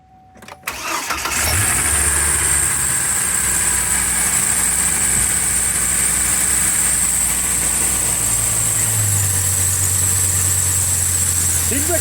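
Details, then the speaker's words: Truck engine right after starting: shrill steady squeal high above idle, unchanged throughout, from a slipping serpentine belt; a pulley had been hitting the block and couldn't tension correctly, and the alternator also has bearing noise. "squealing all over it's not just one side the alternator definitely has some some Baron noise"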